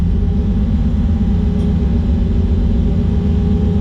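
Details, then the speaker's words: Drag car just after a burnout, before launch: heavy steady drone with a slightly uneven pulse underneath, no clean note, possibly not firing on all cylinders; driver felt a misfire and backed off the line, cause unconfirmed. "during the burnout felt fine I did the burnout normally but then after I came out of the burnout I started to feel like a misfire so I backed off the line"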